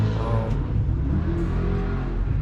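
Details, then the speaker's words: Little truck with throttle blipped: short, even low growl with no rattles, knocks or stumbles; the engine revs normally. "that little truck sounded pretty good."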